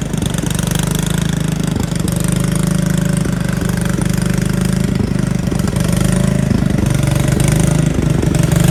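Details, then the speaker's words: Riding mower/tractor single-cylinder engine, run on a jumper pack after its battery read only 9 volts: low-speed chugging with uneven stumbles and dips; it runs well briefly, then hesitates, slows and stalls; connecting rod not blown, cause unknown. "So this is as far as I got it, and then it just started hesitating and crapping out and just stopped. And it goes really, really slow."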